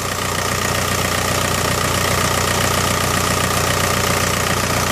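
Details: VW Mk4 Golf ALH TDI diesel after fixing P3105 rough idle: shorted anti-shudder valve solenoid wires repaired and solenoid relocated to firewall. Steady diesel clatter at idle, even rhythm, no hunting or shake; normal idle.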